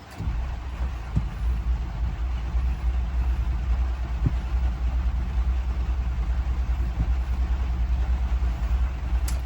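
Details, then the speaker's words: Ford 6.0 Powerstroke diesel hot start attempt after driving: a steady rapid starter chug that keeps cranking and never catches. Cause unknown; owner suspects an electrical issue and notes others will suspect a high pressure oil leak. "I thought, I gotta know, see if she's gonna hot start. So let's turn that down a little bit, and let's see what happens. No dice."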